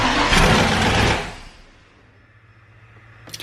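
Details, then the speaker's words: Ford Bronco just fitted with FiTech EFI, a new cylinder head and a distributor key wire to the switch panel: it catches, runs about a second, then dies every time; distributor timing suspected, and checking the RPM signal while cranking is suggested. "when the truck starts up it'll run for a second and then it'll shut off so I can show you real quick fuel distributor and then it'll start for a second and die it does it everything every single time"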